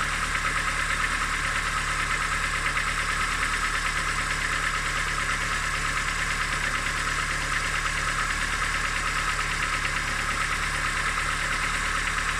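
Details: Engine idling steadily with a faint repetitive knock about three per second over the hum; owner asks what the engine knock could be, source undetermined.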